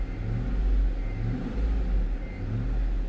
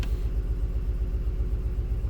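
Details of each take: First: 2005 Cadillac Escalade 6.0L LQ9 V8, previously misfiring on cylinder 2, after new plugs (a new one fouled) and wires: deep even rumble swelling smoothly under load, zero misfires; normal running under load. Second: Cadillac Escalade 6.0L LQ9 V8 with P0300 random misfire, plugs, wires and coil swap not fixing it; lumpy uneven idle rumble stumbling, misfires on cylinders 2 and 6.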